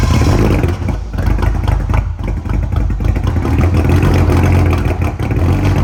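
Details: Freshly built BMW 335i N54 twin-turbo six (MMP 53/53 ceramic ball-bearing turbos), first startup break-in: revs oscillated 2,000–2,500 RPM to seat piston rings; deep strong fast idle with slight rises and falls; normal break-in revving.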